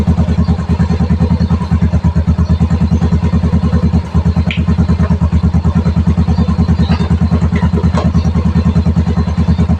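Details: Yamaha Mio i125 scooter idling after no-start traced to a blown fuse, before road test; steady single-cylinder putter around three beats a second, even and regular. Normal idle.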